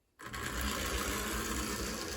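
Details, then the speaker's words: AHM BL2 HO scale locomotive after fixing odd mechanical issues, test run with shell back on: motor spins up at once to a steady, even whirring buzz with no knocks or grinding; fairly quiet for an AHM. "And it springs straight to life. This is actually pretty quiet for one of these old AHM engines, which is kind of a surprise, honestly, given the condition it was in when we started."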